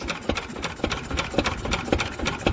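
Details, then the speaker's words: Single-cylinder Lister stationary engine started from scratch after a magneto chain adjustment (chain slightly stretched). Slow, even beat with crisp regular firing and no misses. It had not been run to temperature for 40 years until recently. Normal running. "don't the old girls start noise that is absolutely splendid"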